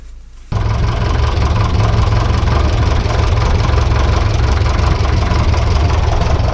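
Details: Vintage petrol/TVO tractor engine after oil and filter change, oil slightly above maximum, test run checking for leaks: silence, then engine catches and settles into steady, even low chug with no knocks or misses; normal idle.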